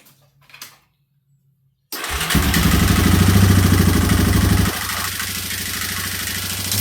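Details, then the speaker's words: 2003 Yamaha Wolverine quad with fuel tank refitted and no longer leaking, checked before reassembly and a ride: engine fires at once and settles into a steady, even run, about three and a half beats a second; runs pretty good. "Runs pretty good. It's time to go see if it moves around."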